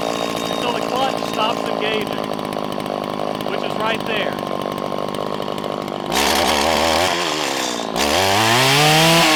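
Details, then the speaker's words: Two-stroke string trimmer idling, then four throttle blips that climb slowly instead of snapping up; after setting idle speed, the low-speed mixture screw is now out of spec, causing the sluggish off-idle response. "now did you notice something i adjusted the idle to where i wanted it to be now all of a sudden it seems like the low side screw is out of spec"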